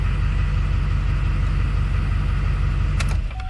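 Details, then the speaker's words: 2005 GMC Sierra 2500HD that was dead and wouldn't start, fired right up after battery swap: deep, even rumble with a smooth steady beat, no misses or knocks; normal idle, no warning lights, charging over 14 volts. "There you go, fired right up. No check engine lights, no battery lights, and we've got over 14 volts."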